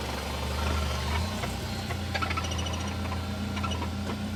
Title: Rattle noise 2000 BMW 318 Ci